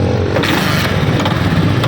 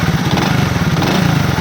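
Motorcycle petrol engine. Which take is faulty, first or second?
first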